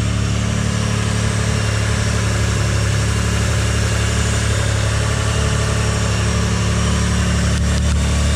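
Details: Mitsubishi GTO at idle, owner suspects a boost leak and changes intake manifold gaskets: loud, steady idle with a heavy low drone and faint regular pulse; strange noise, source unclear.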